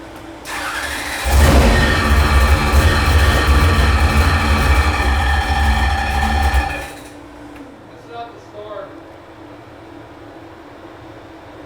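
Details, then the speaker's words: Ex-NASCAR Chevy SB2.2 V8 racing engine for a 1955 Chevy, run on a dyno: it runs rough with a steady squeaky rub from the back of the motor, traced to the nuts on the back of the cam plug. "it's the nuts on the back of the cam plug that they have uh can we you put a washer behind"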